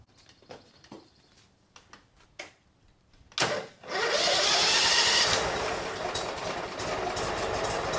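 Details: 2006 Mud Buddy HD Mini, 23 HP Briggs Vanguard, after reconnecting the lanyard kill switch: some clicks, a short crank, then fires and settles into a steady fast run without knocks or misses; normal running.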